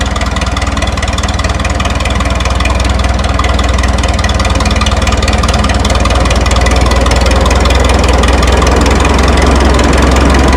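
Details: 1952 Minneapolis Moline G tractor, sat in a barn 10 years, first start after freeze damage; owner suspected a stuck float. Even, steady low thump at about four beats a second with no misses or knocks, a smooth healthy idle.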